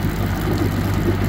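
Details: Evinrude G2 200 HP outboard idling after descaling with Rydlyme and clearing foreign objects that blocked cooling water and triggered code 25 EMM temperature fault. Even unbroken low rumble, no misses or knocks; normal running.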